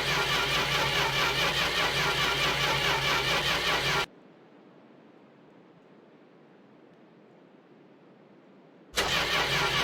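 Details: Corris Rivet: steady starter cranking at about two and a half strokes a second, stops, then resumes, and the engine never catches; cranks but won't start, cause unknown.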